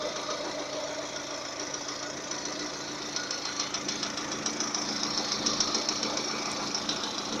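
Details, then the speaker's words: Lada Kalina 11174 after bent-valve repair (new valves, stem seals, slotted pistons, rings, bronze small-end bushings; 65k km): once warm near 90°C, sharp steady metallic tapping about three knocks a second over idle, also under load; mic near cylinder 4; cause unknown. "Вот до 90 доходит, появляются вот такие странные стуки."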